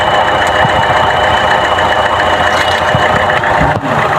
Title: CHEVROLET TRAX PO300 ENGINE MISFIRE ..